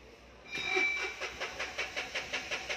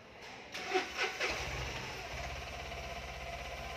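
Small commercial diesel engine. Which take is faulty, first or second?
first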